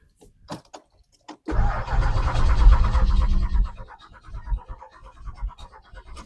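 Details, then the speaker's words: 2008 Buick LaCrosse Super with LS4 5.3 V8, parked since 2017, with fuel that smells bad: after a few cranks it settles into a slightly uneven, loping idle with a little gallop; rough idle after long storage, cause not confirmed. "yeah she's got a little Gallop that's probably nothing it'll come out like I said it's an LS"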